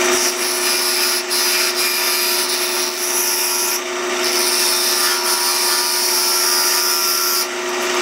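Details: Pattern-making lathe turning a shortened small wood workpiece: steady spindle hum under an even cutting hiss with no chatter or thumping; the piece turns smoothly without flex.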